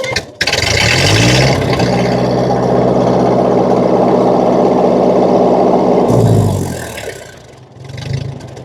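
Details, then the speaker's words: 1950 Ford 8N tractor, in neutral after cleaning filthy spark plugs: starts, settles to an even beat about 300 rpm, holds a steady raised speed, then drops back cleanly with no misses; a definite improvement over running rough. "I think it sounds smoother than it did. Let's go from a complete idle to full throttle. Yeah, that's way better than it was."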